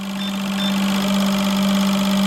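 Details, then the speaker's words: Fuel injectors being bench-tested for low pulse-width operation: steady rapid buzzing whose pitch changes as injectors stop spraying, starting around 2.1–2.3 ms, with nearly all off by 1.7 ms. "we're also going to test low millisecond operation [Applause] yeah they're starting to shut off [Music] right around 2.1 milliseconds 2.3 there"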